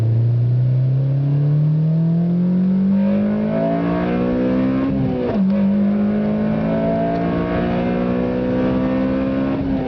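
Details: 2007 Honda Civic Si, stock ECU tune, Password JDM carbon fiber powerchamber intake, fully warmed up, hard acceleration through gears: strong intake roar climbing in pitch, drop at shift near five seconds, pulls again; aggressive VTEC crossover, healthy.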